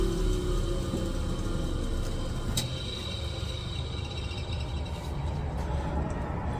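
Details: 1977 Wissota S8-B (rebadged Foley) grinder with original 8-inch, 1/2-inch bore, 3/8-inch thick disc fitted: low steady motor hum as the wheel spins, no grinding, rattles or surging; normal running.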